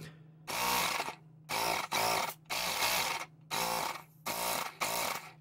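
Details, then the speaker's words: Ryobi P737 18V tire inflator after teardown and 3D-printed replacement cooling fan, having previously overheated and moved no air: short bursts of steady high motor buzz, clean starts and stops, now moving air, bogging slightly when blocked. "let's put not a lot of air it's actually moving air now it wasn't when I tested it initially"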